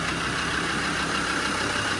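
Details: Land Rover Defender TD5 idling after repair of a weeping fuel filter head (WJN000020) and bleeding the fuel system. Steady, even diesel idle with a constant hiss and no knocks, misses or hunting. Normal idle.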